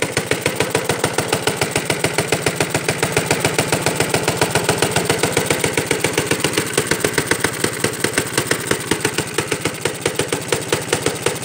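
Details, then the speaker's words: 1937 Johnson Iron Horse single-cylinder engine after a cold start: uneven, rattly chugging about three and a half beats a second; owner suspects loose parts, a shop suggested valves may not be seating. "I think the reason why it sounds like that it's just because the the parts under you ain't like tight so alright that's good enough"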